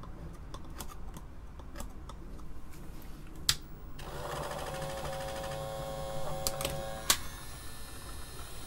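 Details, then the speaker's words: Apple II Plus Disk II floppy drive on the bench, under repair: after clicking, a thin steady high squeal holds as the spindle motor runs flat out with wrong drive speed. Disk drive spindle motor overspeed squeal. "Not sure what's squealing so bad. Oh, well, the drive speed is obviously wrong. Just like that, the little motor is just running full open."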